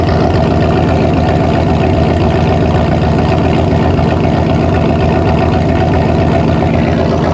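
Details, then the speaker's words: Normal idle at the tailpipe of a Centurion 4-door Bronco with a 460 V8, just converted from carburetor to MSD Atomic EFI: idle air control brings rpm down to target, giving a loud, even burble and steady low lope with no misfire. "Idle air control is coming down. RPM's coming down to where I want it. Now listen to what this sounds like at the exhaust."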